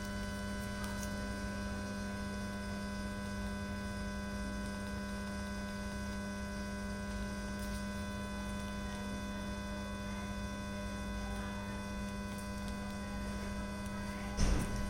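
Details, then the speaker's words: Lepy LP-2020 stereo mini amplifier, faulty on delivery: constant low hum with faint hiss at volume 0, persisting with TV and preamp off and audio input removed; the amplifier itself makes the noise. "Volume level is 0, but is hissing sound is still coming."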